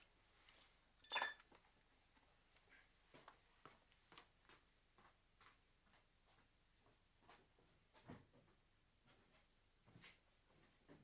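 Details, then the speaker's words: Mazda 6 diesel after replacing alternator belt idler and tensioner roller bearings: quiet clicks and a chime, then engine starts and idles evenly; belt squeal gone. "Все, писк пропав, попідшипники поміняти."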